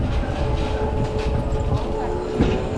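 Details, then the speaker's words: E-bike hydraulic disc brakes with new pads during bedding-in, riding in traffic: a thin, wavering squeal sits over street and tyre noise under braking; rider wonders if the pads are too thick, cause unconfirmed. "Yeah, you could probably hear that squeaky harmonics. Maybe the pads are too thick."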